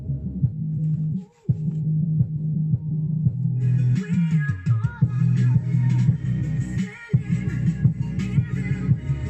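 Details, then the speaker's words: Defender SPK 2.1 speakers after repair of a subwoofer that only hummed: bass-heavy music plays cleanly through the subwoofer, no hum or buzz in quiet breaks; balance knob turned left and right; normal subwoofer playback. "все работает повернул ручку баланса влево вправо и думал почему же она не работает"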